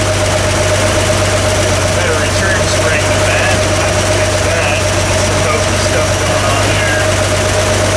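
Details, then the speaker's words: Vintage Toyota Land Cruiser six-cylinder (stated as 1979 or 1972) after adjusting the Weber carburetor idle mixture screws: smooth, even low idle drone with no misses, all six cylinders firing. Oil pressure is excellent, and the throttle return spring is poor. "but it's already running a ton better and we're running on all six cylinders now so that's a good step in the right direction"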